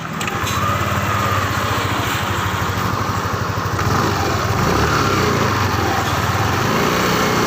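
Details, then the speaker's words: Yamaha Lexi scooter after repair of a rough, growling CVT traced to the boss in the rear pulley assembly, reassembled and tested: steady drivetrain with even pulsing drone and no growl from the rear pulley; CVT noise fixed, normal running. "Oke jadi permasalahan tadi itu bagian bosnya ya jadi suaranya mesin reaksi pada bagian CVT yang ada suara ngoroknya atau kotak-kotak di bagian belakang jadi Sudah teratasi"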